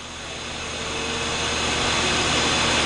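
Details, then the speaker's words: Sitek 2300 spin rinse dryer with 4-pole insert rotor, ramping from 500 rpm to 1800 rpm dry step in a balance test: even airy whoosh, barely audible or felt, no knocking or wobble; well balanced, normal spin. "okay we're at 1800 this is so smooth you can't even hear it spinning i can't even feel it spinning"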